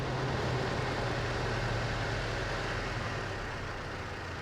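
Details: 2004 Toyota Tacoma 4-cylinder after replacing the IAC valve and adjusting the throttle idle screw: a steady, even low idle rumble with no misses, settling slightly quieter; a healthy warm idle.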